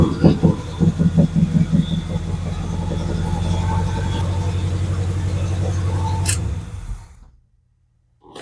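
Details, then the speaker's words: 1969 Pontiac GTO with rebuilt engine, long stored in a basement, cold start cranked without touching the gas: uneven pops and stumbles, then a rough, steady rumble. Points and old plug wires suspected, needs a tune-up; popping misfire. "I think basically we just need to do a tune-up on it. Those old plug wires, I think that popping is probably points."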